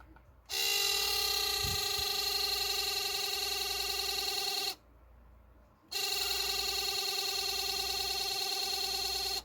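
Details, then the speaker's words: Broken ESC cooling fan on an Arrma Senton 4x4 RC truck, before replacement; it makes a harsh, high-pitched buzzing whine in two bursts of about four seconds each: failing cooling fan noise. "makes this horrible sound it's been doing that for a bit and the fan usually turns a little faster and it stops well no it doesn't want to stop"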